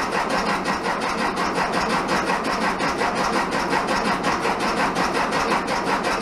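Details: 1967 VW Bug, big-bore 2387cc engine, cold day (~15°F), after fuel delivery fix: steady rhythmic churning one to two beats a second, no firm catch; spark weak, cause not pinned down, owner suspects ignition.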